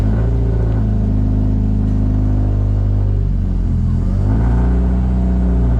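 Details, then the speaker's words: Car cold start at 50°F on reduced ethanol fuel content, checking for exhaust leaks: deep steady idle rumble, smooth even beat, no ticking, hiss or exhaust leak puffing; normal idle. "so everything sounds normal not even sure if you can hear me but everything sounds good"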